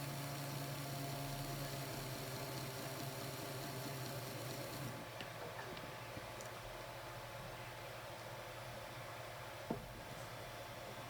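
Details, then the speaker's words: Bachmann Blue Peter model locomotive motor after oiling its dry front and rear shaft bearings: it now runs with a quiet, even low whirr and no squeal. "that oil will just run down the shaft in into the bearing there we go quiet as a Mouse"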